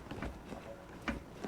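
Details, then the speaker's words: Chevrolet Silverado/GMC Sierra 2WD pickup, raised with wheel off: light metallic clunks as the hub is rocked side to side by hand, from a worn outer tie rod end with a torn boot. "and it does a little bad tie rod so if you get any kind of play this way or in this case like I said there something are obvious just visually"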